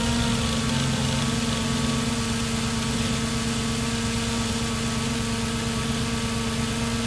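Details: 2006 Audi S4 Avant B7, 4.2L naturally aspirated V8, 340 hp, automatic, 262k km, cold start: steady busy idle with light metallic clatter; VCDS measurement shows the timing chain is stretched and needs replacement; timing chain rattle.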